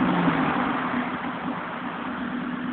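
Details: JDM Honda B16 engine at a lumpy idle: raspy, puffing tick about three to four times a second riding on each firing pulse, from a loud exhaust leak.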